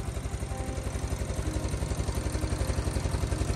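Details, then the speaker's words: Stratos race kart with Honda GX270 single-cylinder, just revived with fresh fuel and carburettor float tapped: quick even thump at steady idle, no misses or surging; normal idle. "here we go we did it not too bad 30 minutes and I got this thing running"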